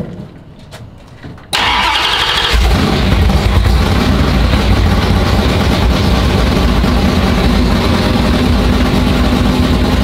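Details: Chrysler V8 race engine (440 or Hemi) after winter storage, oil primed by drill, timing set: catches and settles into a loud, lumpy, steady idle, no knocks or misses; it wants to die when given gas.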